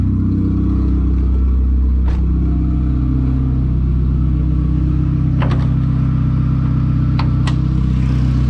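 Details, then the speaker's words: VW Golf turbo with no exhaust fitted, warm after about 10 minutes idling, temperature steady mid-gauge: steady deep idle around 900 rpm, no misses or knocks, a couple of faint clicks, no leaks; healthy. "so i've had the car idling for about 10 or so minutes a temp is staying perfectly in the middle as you can see right there hasn't passed that at all idling right about 900 or so super super smooth"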